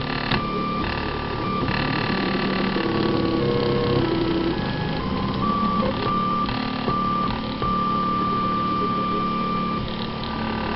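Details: CTC DIY Prusa i3 replica 3D printer on its second run: whining stepper tones jump between pitches with a sustained high singing tone over busy mechanical rattle, a strange noise.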